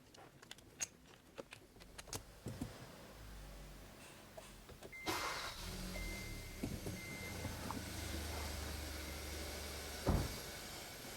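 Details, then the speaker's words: 2015 Kia K3 1.6 GDI, 60,000 km, after combustion chamber and intake valve carbon cleaning plus new ignition coils and spark plugs: clicks, then engine catches and settles into a smooth quiet idle; hammering knock from ignition faults and carbon gone. "노킹은 지금 전혀 안 나는 상태입니다."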